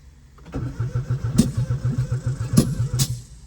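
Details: 1996 Geo Metro bought wrecked and parted out, cranked after plugging vacuum leaks and hooking up the distributor: the starter churns at about 3.5 even pulses per second for three seconds and never fires.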